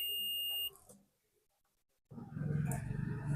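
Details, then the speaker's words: A continuity tester on a 3055 transistor amplifier, checked before power-up, gives a solid high beep over half a second on a transistor, showing it is shorted. Bad BC548 and BC558 transistors were found. "तो अब देख पा रहे हैं friends यहां पर मुझे एक ट्रांजिस्टर जो है शर्ट दिखा रहा है"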